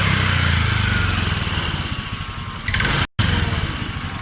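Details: Honda Vario 125 scooter, complaint sluggish and underpowered, started after fuel pressure check: pressure now over 40 PSI versus 20 PSI initially; small single fires up, even quick putter at idle, steady firing, no stumbling. Normal idle.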